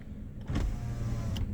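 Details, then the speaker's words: Nissan March pre-purchase check, power window: low even motor hum as glass travels, steady without grinding, clicking or straining; power window works normally. "ini normal ya itu basic sih Harusnya teman-teman pahamlah untuk ngecek power window"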